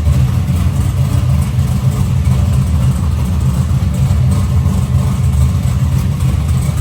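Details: Box Chevy with a new engine, started after fixing a water pump leak by tightening the clamp: deep steady rumble with an even beat, no knocks, ticks or misses; running smoothly and healthy.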